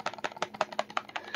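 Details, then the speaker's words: Gen 2 Kobalt 24V impact driver shaken with battery on: quick dry clatter, five or six knocks a second; battery slop up and down and side to side, unlike Gen 1, loose battery rattle. "you don't need to shake it that violently to feel it or hear it. I would, just with normal use, it's just rattling everywhere."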